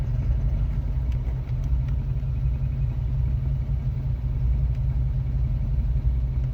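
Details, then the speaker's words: Engine idling with a clunking/knocking noise first thought to be a lifter; it stops when the clutch pedal is pressed, so the clutch is the cause. Car also had a leaking MAF sensor O-ring and EGR valve needing repair. "it's not the lifter it's the clutch that's making the noise i don't know if you can hear it uh right now i'm gonna step on the on the clutch right now and the la the clunking noise or the knocking noise is going to go"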